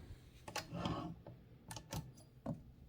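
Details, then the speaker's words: 1925 Mignon 4 index typewriter, carriage release let go slightly to simulate the fault: irregular light clattering bursts as the carriage moves; the rack teeth sit at the wrong distance from the pawls, so they don't seat properly and rattle. "whereby what's more important is that these teeth are the perfect and parallel distance away from these pawls here, without your getting a rattling effect, which I'm simulating just by slightly letting go of the carriage release. You don't want to hear that sound."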